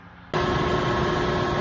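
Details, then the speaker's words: Lennox 15-ton HVAC unit just after a fan motor replacement and belt retightened. It starts into a steady whoosh with a smooth drone and no knocks or squeal. It previously cut out after half an hour; later it cooled 80→75°. Normal fan motor running. "Well, so far so good. But again, the problem earlier was it would run for about a half hour and then cut off."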